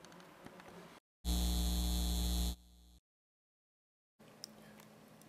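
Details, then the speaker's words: Car fuel pump heard at key-on: steady low electric hum of the in-tank pump for about a second and a half, then stops cleanly; normal fuel pump prime. "Listen close and you should be able to hear the in-tank pump running for a few seconds when you first turn the key to the "on" position."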